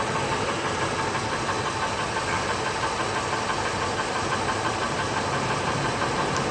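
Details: 2000 Ford Expedition 5.4 V8 at 193,000 miles idling with a steady, fairly quick knock, loudest by the wheel wells and at the catalytic converter through a pry bar; seems to fade after driving; cause unconfirmed.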